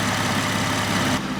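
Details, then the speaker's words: 3.8-liter Jeep Wrangler after replacing the faulty injector behind code P0204 and a misfire: steady, even idle with no stumble or skipped beats; smooth on all cylinders, confirmed by scope and scan tool. "we have confirmation sounds nice and smooth out the back looks nice and smooth under the hood pico tells us we're good scan tool tells us we're good"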